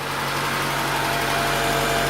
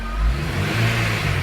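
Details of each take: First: Honda Integra DC5 / Acura RSX base model petrol engine idles steadily and smoothly with no whine after the air-con compressor was bypassed with a serpentine belt; the whine was blamed on a failed compressor bearing. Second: Honda Integra DC5 / Acura RSX base model revved in neutral: faint RPM-related whine persisting after alternator swap, power steering pump first blamed; cause was a worn A/C compressor bearing.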